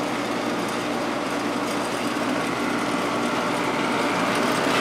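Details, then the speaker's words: Vintage 1972 GE Slumberline 6,000 BTU window air conditioner, GE compressor running, about 6 amps draw: even steady whirring buzz, no knock or squeal; compressor very quiet, audible sound is vibration transmitted through the frame. "the compressor itself is very quiet it's just the vibration that's being transferred through the frame that you can"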